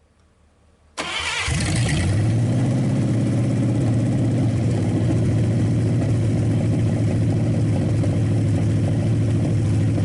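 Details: Packard 374 cu in V8, restarted to warm up and burn oil off the hot exhaust manifold: quick crank and catch, then strong, even idle and clean revving; shuts off fast, suggesting little cylinder wear and good compression.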